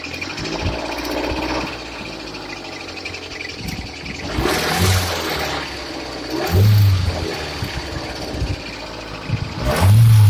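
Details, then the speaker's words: Kia Sportage with a coolant leak and noisy belt: rough running with irregular clatter and harsh knocks that swell with each rev. It sounds undrivable. "it sounds like it shouldn't fucking run, is the answer. It sounds like this vehicle should not be drivable. Just so much damn noise."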